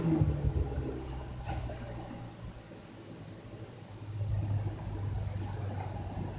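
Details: 1990s Lasko 20-inch box fan with Marco motor, rusty, replacement switch from another fan that only works when held: soft steady low hum and airy whoosh on low, no rattle or ticking; running smoothly.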